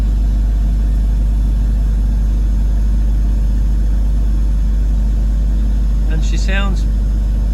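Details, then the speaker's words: 2001 BMW 320Ci E46 Coupe, under 46,000 miles, first start after about 11 months in storage with refitted battery: smooth even low idle, about three and a half pulses a second, started perfectly, no misses; normal idle. "hasn't missed a beat not bad for a 21 year old car started perfectly"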